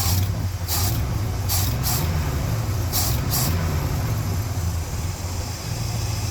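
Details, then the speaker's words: 1972 Ford F750 "Super Pickup" V8 with carburetor adjusted (mixture about 1½ turns, accelerator pump on position two), warming up, big fan running, nickel balance test: deep steady even idle, brief hissy bursts; normal idle. "I'd say an engine's idling pretty smooth if you can pull that off not too bad"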